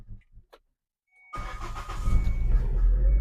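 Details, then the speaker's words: Proton Saga VVT first start after fuel system reassembly: brief crank, needing about two cranks until fuel fills the injectors, then it catches into a steady, even idle. No leaks and it sounds different than before. Normal start. "Cun tak ada bocor, tak ada leaking apa. Jadi perbezaan dia pun bunyi dia lain dah tadi."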